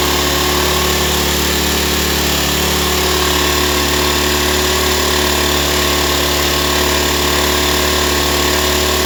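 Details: Nearly new Ryobi 1200 (1.2 kVA) generator, only 3 hours of running, previously wouldn't start, now started on choke: loud, steady, even drone with no misses, surging or knocks; running smoothly.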